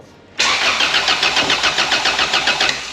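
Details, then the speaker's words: Honda Civic with a swapped-in B16 engine on its first start attempt, with ignition timing being set on a laptop: even starter cranking at about three and a half compression pulses a second for two seconds; it makes spark but never fires or catches. "tell me it's doing something right it is putting a spark out it's putting a spark out yep"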